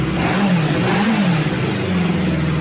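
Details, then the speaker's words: Restored 1977 Kawasaki Z650 four-cylinder motorcycle, just back from the mechanic, gives an even rasp that climbs and settles through short throttle blips. No knocks, misses or ticks, so it runs healthy. "He's running. Sounds like a Kawasaki. Pretty stoked."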